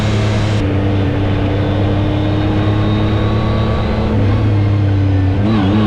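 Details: 2019 Yamaha YXZ1000R SS side-by-side, 5-speed paddle-shift gearbox, neighborhood drive: steady engine drone with a thin whine on top shifting pitch at each gear change; normal straight-cut gearbox whine, nothing wrong.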